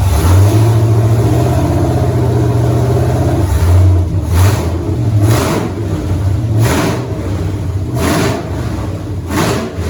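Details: 1983 Mustang with cammed 5.3 LS from 2002 Avalanche, in park, thermostat not yet open, idle around 750 rpm: lumpy choppy idle with sharp throttle blips, slightly flat and uneven between revs; flat spot to be tuned, cylinder temps even.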